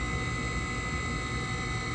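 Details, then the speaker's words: Trane XR90 gas furnace, previously no heat and blowing cold air, running a normal cycle after the fix. Inducer running and burner lit before the blower starts; steady whirring hum with an even flame roar, no pulsing. "Okay, I have my inducer working, and no blower fan is blowing yet. Okay, now I got my flame going."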